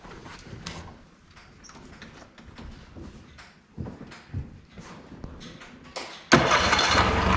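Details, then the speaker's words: Honda 40 hp 4-stroke BF40A outboard on a pontoon boat, after the fuel line was replaced with a low-permeation line and primed until the bulb was firm with no air: it fires about six seconds in and catches at once into a steady run without choke; normal start and idle. "Not bad. No choke on that."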